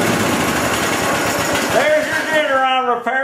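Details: Craftsman/Poulan 42-inch riding mower after fixing a sticking deck engagement, deck reinstalled: small single-cylinder engine fires, settles to a steady even putter, then revs smoothly; runs healthy.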